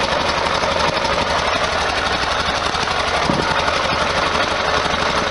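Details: 1973 VW Super Beetle air-cooled engine fired up with a newly fitted stainless EMPI header and new plugs. It gives a steady, even idle with a brisk, raspy exhaust and no ticking or leaks, running healthy.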